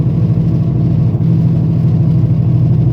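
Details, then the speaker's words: 2009 Ford Focus on a test drive; steady heavy low growl under road noise, customer reports grinding that gets louder with speed; mechanic confirms it sounds like a worn front wheel hub bearing, likely needing replacement. "I will confirm that uh it does sound like a hub bearing so uh we're probably going to have to replace it"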